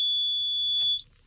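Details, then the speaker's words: 2012 Toyota Camry at key-turn gives a single steady high beep lasting about a second with no cranking and the security light flashing; car won't start, dome light still works, cause unknown. "I have a 2012 Camry uh when I go to start the car it makes this noise it doesn't start what is that noise guys what is this noise"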